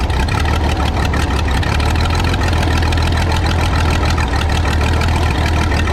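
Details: Michigan 35A wheel loader's old flathead, revived after sitting in weeds (broken spark plugs removed, compression restored, a cleaned connection made it run better): low even thumping idle, steady pace, no misses or knocks; running properly.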